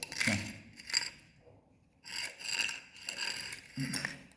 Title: halllow tiles popping up in your house, this is what it looks and sounds like 👍